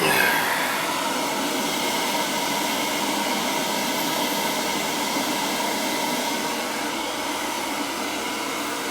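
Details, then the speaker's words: Boiler after a call about a continuously leaking relief valve flooding the basement, with an antifreeze system, now running the second zone, believed to be the purged one: steady rushing of water and pump, with no relief valve discharge or expansion tank purge. Working normally. "Yeah. This one, everything's working the way it should."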